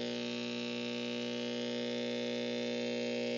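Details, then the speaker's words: Studio audio setup, speakers full, nothing plugged into inputs, EQ channel boosted at 500 Hz, meter at -60 dB: loud steady low hum with harsh buzz riding on it, unchanging; mains hum and buzz, source untraced. "now I've got this which is reading audibly on the meter at negative 60 DB but obviously that sound is pretty fierce"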